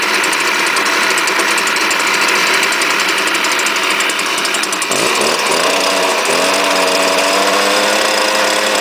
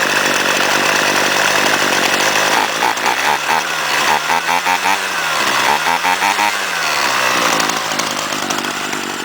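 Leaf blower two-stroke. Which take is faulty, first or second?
first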